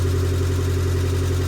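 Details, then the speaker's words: Fiat 500 Abarth, not run for a while, after starter motor replacement for a start-up squeal: steady, even low idle hum with no squeal or knock on startup; normal idle. "it has been a while since this car's been run, so we do need to leave it running for a bit, but there is no squeal now after startup, so that's a win."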